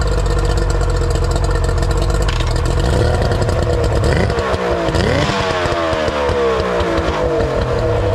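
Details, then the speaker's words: Older Yamaha two-stroke outboard: it runs smooth and even, its beat rising and settling cleanly as the throttle is blipped, with no misses or knocks; normal idle. "I just pulled this Yamaha 42 stroke out of my garage runs really good figured i' show you guys how well she runs"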